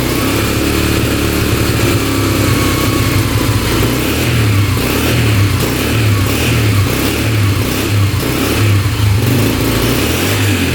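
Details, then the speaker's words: Freshly rebuilt 2003 Yamaha TTR125 single-cylinder dirt bike, first start after repairing an engine knock, choked, with fresh 10W40 wet-clutch oil: a steady, even idle thump with no knock or tapping. It likely just needs breaking in and may need the fuel screw backed out. "She's idling pretty good. I think it just needs to be broken in a little bit. Sounds pretty good."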